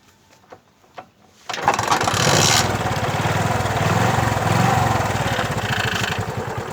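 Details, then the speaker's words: Bajaj Chetak 4-stroke scooter, cold start: catches on one kick after a few kick-lever clicks and settles into a smooth, even idle with no misfire; owner says it misfires and knocks badly once hot after 3–4 minutes. "एक किक में स्टार्ट हो गई है और बहुत smooth work कर रहा है, कोई मिसफायर नहीं, कुछ नहीं।"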